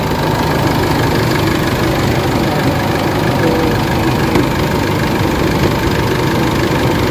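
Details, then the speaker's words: Isuzu MU-X diesel after low-power fix including cleaning a clogged reservoir, idling in the engine bay: steady diesel clatter at even idle with no misfire or stumble; quiet underneath, sounds healthy. "Maganda na yung under ng makina, tahimik na, wala ka na gano'ng maririnig na ingay."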